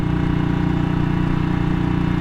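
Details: 1959 BSA motorcycle ridden at a chilly 7°C, after earlier backfiring blamed on the ignition key half out of the lock: steady low engine beat running evenly, no misfire or cutting out.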